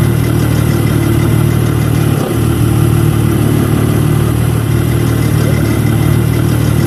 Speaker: the dominance of this aggregat that was switched off at 10 seconds and the dominance of this sound let's say the rattling um changes a lot